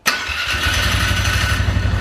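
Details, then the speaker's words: 2012 Polaris Sportsman 400 HO listed with a gummed carburetor. It fires into an uneven, lumpy idle with wavering speed and cuts out and dies on certain throttle let-offs; the owner suspects clogged carburetor jets. "see there you go there you see a certain throttle responses it will die in a certain ones it will just choose to idle still"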